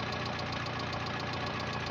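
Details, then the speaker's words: Renault 9 engine at idle: fast even tapping in time with the engine from down in the motor; engine knock, owner suspects worn bearing shells (вкладыши), not confirmed. "в общем есть явные признаки стука и мотор мабуть скорее всего вкладыши"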